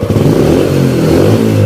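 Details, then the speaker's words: Yamaha Spark 135 carbureted manual-clutch motorcycle, original engine, after major service with valves adjusted and water pump seals and coolant renewed: clean, even single-cylinder revs with no misfire or knock; engine healthy, exhaust slightly loud. "ล้วครับลองฟังเสียงเครื่องกันครับเครื่องดีนะครับแต่ว่ามีเสียงท่อนิดหน่อยท่อดังนิดหน่อยครับเครื่องเงียบใช้ได้ครับ"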